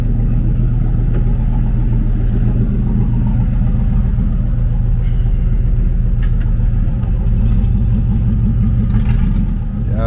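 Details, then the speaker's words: 1995 Impala SS at steady idle before the pipe is welded: loud, raw, deep rumble like open headers with no muffling; exhaust pipe leaking badly. "how loud it is? Man, it's so loud. Sounds like open headers."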